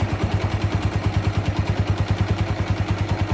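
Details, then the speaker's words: Honda Megapro single-cylinder motorcycle with weak power, idling: quick metallic clatter on each beat from a loose cam chain; a stronger knocking appears with slight throttle. "itu rantai ketengnya kendur jadinya bunyinya kayak gitu"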